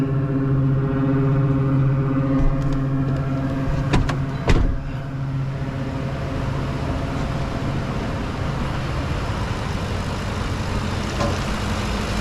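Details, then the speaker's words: 2010 Ford F-150 5.4 V8 that the dealer said needed a new engine, first start, oil pressure good: steady even idle, smooth low rumble, no knocks or misses; healthy. "it actually sounds dang good"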